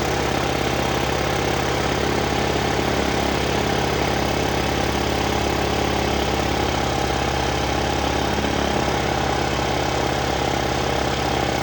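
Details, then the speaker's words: 2006 Volano scooter, long unused, first start after refitting and priming the roughly adjusted carburetor: small engine runs at a fast, steady raised idle that won't settle; throttle cable set too far open, idle needs adjusting. "Started, idled, high idle, but so, and I kind of thought I was gonna have to adjust this back."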